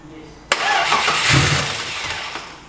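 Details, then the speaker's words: Audi S4 bi-turbo with fresh oil and new filter after long troubleshooting: a sharp start, then about two seconds of cranking that fades without catching; fuel pump not heard, cause unconfirmed, later runs with some throttle. "I know, but it already promised to start. But I don't hear the fuel pump running"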